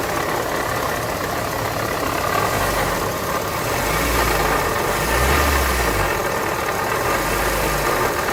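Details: Engine at idle, a rough rubbing growl heard from low down, at first thought to be the alternator. Water pump bearings worn, shaft play letting the impeller blades rub; can damage the engine.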